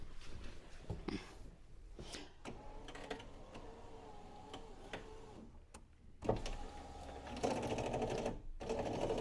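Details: Land Rover Freelander 1 front electric window after refitting the old motor and tightening the regulator, dirt suspected in the channels: the motor whirs in short runs with clicks and a wavering strained hum, still sounding wrong, cause unclear.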